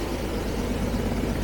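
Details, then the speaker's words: Carbureted 1975 Jaguar XJ12 V12, no power, backfiring through a carb: lumpy, shaky, stumbling idle; one bank is cold, with hardly any smell, so owner thinks it is running on maybe three or four cylinders. "And we're missing a couple cylinders. So I think it's running on at the moment. Maybe three cylinders. Four. This whole bank is not running."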